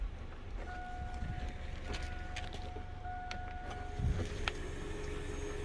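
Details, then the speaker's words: Chevy S10/GMC Sonoma 4.3L with a cranking no-start, key on, engine off: faint steady whine for a few seconds as the fuel pump primes normally, showing the pump works. "So normally when you hear the fuel pump prime, you would hear this little whining sound. So let me get this to reenact. You could hear this humming sound."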